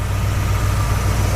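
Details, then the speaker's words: 1968 Ford Mustang with a 289 V8 at idle. It has a deep, even, smooth burble with no rattles or exhaust leaks, and the engine is running healthy. "runs real smooth. You know, you can hear that it doesn't have any rattles or anything like that, no exhaust leaks or anything."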